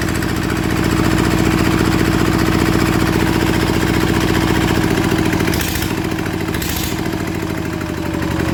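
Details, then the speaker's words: Yanmar TF85 LM single-cylinder diesel after rebuild for stiff turning and knocking, leaking injector O-ring; steady even thump with quiet gear whir underneath, no knocking, engine very quiet; normal running. "แเืองนี่ถือว่าเงียบมากใช้ได้นะครับเสียงเืองนะครับ"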